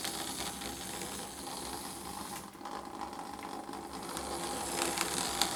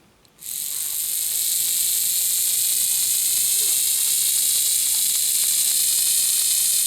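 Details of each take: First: Lima model locomotive test-run on track after fitting a 3D-printed replacement gear: light, even motor whir with soft gear chatter, no catching or grinding; drive running smoothly. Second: Lima Express Parcels van model motor with a 3D-printed replacement gear, run on battery at the rear contacts: constant high thin whine with faint fast ticking; new gear possibly rubbing on the back of the wheel, wheel may need easing out.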